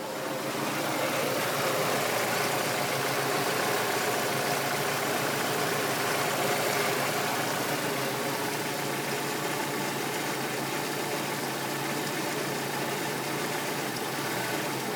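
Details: Peugeot 206 GTi 2.0 at idle: lumpy, uneven idle with a faltering beat under hiss, a misfire resolved by a new coil pack and set of spark plugs.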